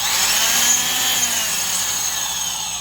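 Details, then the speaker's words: Low-hours vintage Black & Decker Super Duty 5/16" D-handle drill boring pine with a 1-inch spade bit, bogging under load: a steady, smooth, quiet gear whine whose pitch sags slightly; a healthy gearbox. "They sound really nice. They're just a nice, quiet, smooth sound. This whole drill just has a really nice, quiet, smooth sound."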